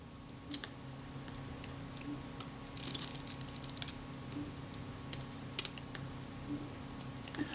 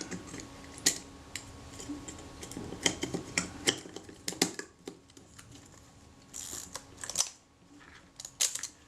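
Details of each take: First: Kodak Retina Reflex (type 025) camera full of sand and grit, film advance faulty from one broken spring: sharp irregular clicks and a ratchety snap as the advance suddenly works intermittently and a part pops up. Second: Kodak Retina Reflex (type 025) camera after replacing a tiny broken spring that stopped the film advance locking: crisp light ratcheting clicks as the lever winds, then firm stops, no grinding or slipping; advance now locks normally until shutter fired.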